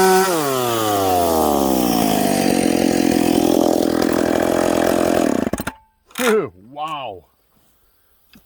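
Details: Stock, unpiped McCulloch Pro Mac 850 chainsaw cutting hard dried cottonwood before teardown: screams high and steady through the cut, holding revs under load with a crisp edge, then cuts off cleanly; strong and healthy.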